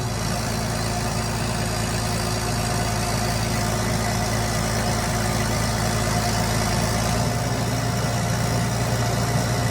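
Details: 29-year-old TimberJack 450-C skidder diesel, just started on ether after sitting 8 years: steady low rumble, even and unbroken with no knocks or misses; a healthy idle, and it later showed zero blow-by.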